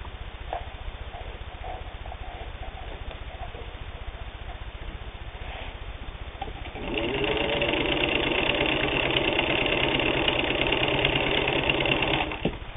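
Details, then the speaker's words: WWII-era Singer 15-91 all-steel sewing machine, internal can motor with worm gear drive, sewing 8 layers of denim; quiet hum then steady even whir about three stitches a second, no labouring or knocking; no problem, healthy. "No problem at all sewing 8 layers of denim."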